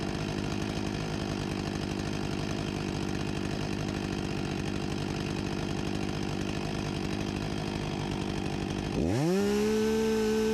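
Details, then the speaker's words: 1989 Husqvarna 254 G chainsaw after fuel line replacement and carburetor refurbishment, idle set near 3000 rpm: steady buzzing two-stroke idle climbing smoothly to a clean high whine above 13,000 rpm unloaded; normal running. "13.000+ RPM with no load ... and to think this saw is 35 years old (1989)"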